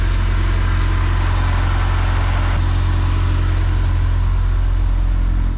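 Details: Shelby GLHS with Chrysler 2.2 turbo, brand new fuel pump failing randomly, working again after tapping the tank: strong, steady low idle with even beat before shutoff; fuel supply restored, runs fine.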